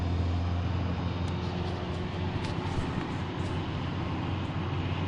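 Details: 2007 Subaru Impreza 2.5i manual with nearly 60,000 miles, driving: a newly started steady low whine at a fixed pitch over the drone, suspected to come from the transmission; cause undetermined.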